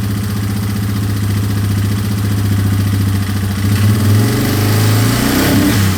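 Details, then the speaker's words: 2003 Yamaha Wolverine quad with fuel tank refitted and no longer leaking after fuel-leak repairs: steady, even thump at idle, then a smooth light rev near the end with no stumbling or missing; runs pretty good. "Runs pretty good."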